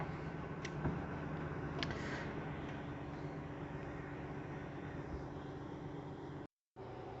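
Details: LG WD13BVC2S6C washer-dryer drain pump sucking air after draining the tub: soft hum with a gurgle of air and water. This is normal, and resonance against the frame was reduced with a folded microfiber cloth.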